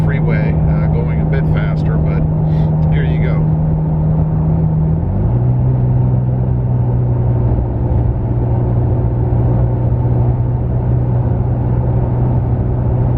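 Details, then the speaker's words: Toyota Tacoma with an MBRP aftermarket exhaust, heard inside the cabin cruising at 55 mph: a steady, deep rumble dropping slightly in pitch; constant exhaust drone from the aftermarket system. "you can definitely hear it in the cabin uh would I call it a drone well you have to Define drone I guess if drone is a constant uh rumble or or sound from the exhaust then absolutely absolutely it has an exhaust drone"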